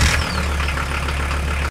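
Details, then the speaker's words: 1993 Volkswagen T4 after starter motor replacement: engine catches immediately and settles into an even idle with no grinding or whirring; old starter made weird noises, likely not spinning fast enough. Starting now normal. "right guys so as you could hear the car starts fast without any noise before this starter was making some weird noises because probably this one was not putting the enough RPMs necessary for the engine to start easy"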